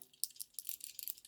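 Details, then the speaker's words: Original Radio Shack 12V power adapter for a 1986 Realistic Portavision TV Boombox (Model 16-109), shaken by hand: light tinny jingle in quick bursts as broken internal parts rattle loose; the adapter is coming apart. "You can hear that rattling noise. I am definitely not using this."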